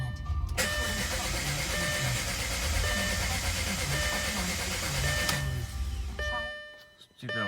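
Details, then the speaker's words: Audi A4 B7 after new coils, spark plugs, spliced coil harness, alternator, starter and battery: steady rhythmic starter cranking about three turns per second with no catch or firing; cranks but won't start. "let's start it up and see what it sounds like what it looks like on the dash so hopefully you can hear this so you can see it's just not starting"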